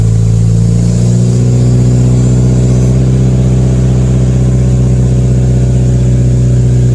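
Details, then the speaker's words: 2015+ Subaru WRX running after CNT Racing header install with J-pipe and exhaust refitted, half a quart added; strong even low drone, steady pitch, no exhaust-leak ticking or puffing; normal running. "I did put half a quart back in, but it seems to be running pretty good."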